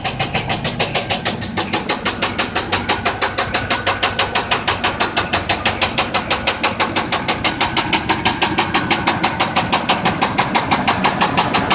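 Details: 1992 Buick Roadmaster V8 at idle: loud steady deep metallic knock about three per second, rod knock that began after losing power on the freeway.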